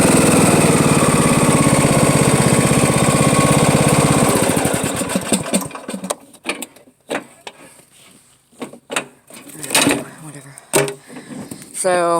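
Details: Riding mower engine runs with a harsh rough grinding for about four seconds with the deck lowered, then winds down; belt found loose after reassembly, cause unconfirmed.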